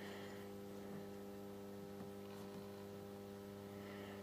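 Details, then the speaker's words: Solis grid-tie solar inverter under test and repair, with its DC input turned down to about 80 V: a steady low electrical hum with fixed tones and no buzzing or crackle. This is normal operation on low input voltage. "you can hear it humming though we're on 80 volts now"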